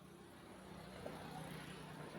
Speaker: Mga idol, tahimik na po. Wala na po yung tunog, narinig natin.